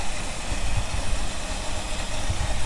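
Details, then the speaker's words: 1975 Ford F-350, not run in about 20 years, just restarted: very rough, lumpy, wavering idle with little real idle and old deposits burning off in the exhaust; later blew out the muffler. "it's got like a no idle a lot of crap burning off in the back huh"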